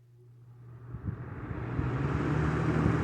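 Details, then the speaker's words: Lakewood C-122X box fan after cleaning, oiling and splicing its cut cord; it spins up smoothly with an even low hum and growing soft whoosh, no rubbing, rattle or motor noises. Healthy. "pretty well i am happy with that got a nice spin down no scary motor noises no fire excellent"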